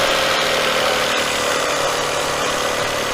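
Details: 2004 Toyota Avalon 3.0 with a complaint of drive belt noise when cold, running with the belts off: steady, even idle with no rattle or clatter even while the exhaust pipe is wiggled; solid and quiet, normal idle.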